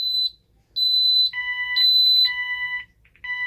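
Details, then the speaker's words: Ademco 6128 alarm keypad on a bench test, 1 and star pressed: sharp high-pitched beeps in uneven bursts, one tone then a lower pulsing tone joining in, the fire panic alarm sounding (star and pound also triggers fire panic). "that's our fire panic. And star and pound is also a fire panic."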